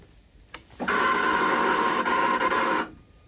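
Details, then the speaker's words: Harley-Davidson Pan America motorcycle at about 8,500 miles: at key-on a loud two-second electric buzz with a fluttering tone as the fuel pump primes. It is abnormal and intermittent, occurring only on some starts, with a loud pitched whine developing after riding. "yep that is the fuel pump priming and no it should not sound like that"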